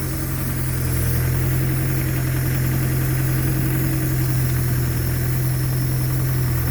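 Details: Land Rover Defender 300Tdi diesel on its first drive after rebuild, in first gear: even clatter with a firm low hum and no odd knocks. Healthy-sounding engine.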